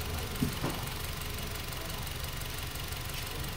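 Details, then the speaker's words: Honda Brio engine after overhaul for a seized engine, cause traced to the VTEC sensor. Steady, evenly paced idle with a light hiss and no knocking; running cleanly. "Jadi ini e hasil setelah perbaikan kita karena video-video sebelumnya sudah ada kita tayangkan juga ya"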